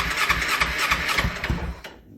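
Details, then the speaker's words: 2009 Kawasaki Ninja 250 rebuild, starter fluid sprayed into the airbox: starter cranks with even rhythmic pulses and engine fires briefly, no clanking or binding; motor not seized, cranks and fires normally. "it's about to fire up at that bike runs perfect you can hear it no issues at all no clanking no nothing"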